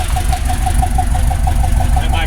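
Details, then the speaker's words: Grand Prix GXP abandoned revival first start, fresh 91 fuel, old fuel pump, original spark plugs, running rich: uneven idle pulsing with occasional stumble; misfire at idle, bad plug or plug wire suspected. "it's quiet sounds good in the back definitely sounds like it's missing a"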